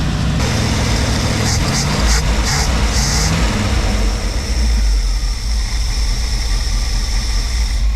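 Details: Classic carbureted V8 with Edelbrock carburetor and electric choke, sat over a week, after carburetor rework: started without touching throttle, deep steady idle rumble with no stumble or hunting; running properly.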